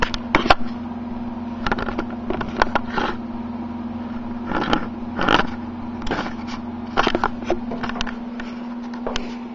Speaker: power supply is an old one so you can kind of hear it rattling but